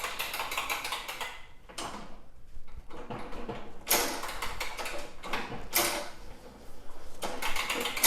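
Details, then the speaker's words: John Deere JA65 self-propelled mower, believed Briggs & Stratton ~5 hp, turned by hand: bursts of quick ratchet-like clicks going forward, then quiet going backward. The self-propel transmission's freewheel is working normally. "The transmission seems good. If I, you know, forward it clicks, backwards it stops."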